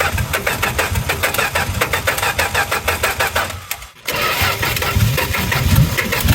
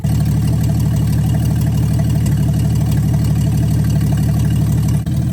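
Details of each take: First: 1963 Plymouth Valiant slant six project, timing backed way off: uneven lumpy firing, stumbling and nearly dying around four seconds before catching; running rich, billowing fuel smoke, likely fouling plugs, from clogged carburetor air bleeds. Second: 1963 Plymouth Valiant slant six, cold idle after carburetor reinstall, no choke stove, coolant very low: steady even low idle thrum about two beats a second, no misses or stumbles; idling smoothly and happily.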